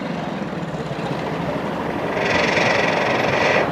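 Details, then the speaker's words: Chevrolet Beat 3-cylinder diesel after repair of a vibration/puffing problem: steady, smooth idle at the tailpipe with no puffing or missed beats; normal diesel idle. "आप देख सकते हैं हमारा engine start है और आप देख रहे हैं इंजन में कोई भी वाइब्रेशन नहीं है। यहाँ से देख रहे हो बिल्कुल स्मूथ है इंजन।"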